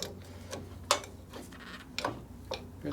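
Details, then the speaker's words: 1958 Ford F100 pickup wheel hub turned slowly by hand after loosening overtightened brake shoes: sharp clunky clicks about twice a second, alternating louder and softer, of unknown cause inside the hub. "somebody didn't adjust these correctly and I don't know what that clicking noise is in there but I don't like the sound of that"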